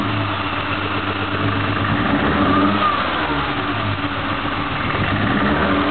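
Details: BMW M3 engine: uneven, stumbling idle with irregular dips in the beat and some revving; missing on a cylinder, cause unknown.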